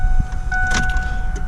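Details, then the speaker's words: 2000 Ford Ranger with a newly installed fuel pump, key turned to prime; a steady, even hum of about a second rises and then cuts off cleanly, so the new pump primes normally. "3. You hear that immediate?"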